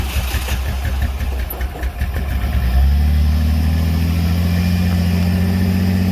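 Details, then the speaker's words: Ford Ranger engine after hydrolock, plugs pulled and liquid cleared from cylinders, plugs, coil and fuel pump relay refitted: uneven cranking under three seconds, then catches and idles steadily with no knocks; sounds unhurt. "right well you guys hear it it's a runner you managed to get everything out of the cylinders cranking over engine doesn't sound to be too hurt or doesn't sound hurt actually i don't hear any weird noises it is uh island pretty smoothly right now"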